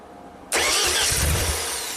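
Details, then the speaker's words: Ford-powered JLG boom lift, sat two years after a tree fell on it, propane fuel: starter kicks in and grinds steadily without catching; ECU commands the electronic throttle but the plate is physically stuck; crank, no start. "Yeah, that throttle is stuck, but the computer is trying to control it, which is interesting."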